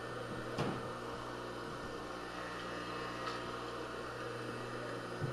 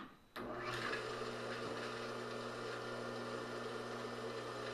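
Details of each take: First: Craftsman table saw motor after rebuild, run for a while with new grease mixing with old in the bearings: even, steady low hum with only an odd faint tick from the mount; running smoothly. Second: Rebuilt Craftsman table saw motor after freeing up its bearings, first run: steady hum at constant speed with a faint light rattle and ticking; owner suspects the forward bearing is worse than thought.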